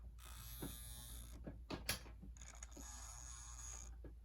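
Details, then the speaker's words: Severely water-damaged Tyco 0-8-0 model locomotive with smoke unit, first power-on on track before restoration: faint labouring whir with clicks and creaks under a soft hum; motor kicks on and tries but barely turns, moving the tiniest bit. "The motor is kicking on. How? How is that even possible? It's trying."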